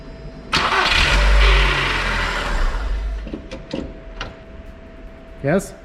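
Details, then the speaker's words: Skoda Fabia Mk1 (VW-group engine): short crank and catch, then a brief whirring rattle as the starter spins down after disengaging from the flywheel; noisy starter. "so as i uh heard it's a problem with this volkswagen cars that when you start the engine right after the starter disengages from the flywheel it makes a noise as you can hear it"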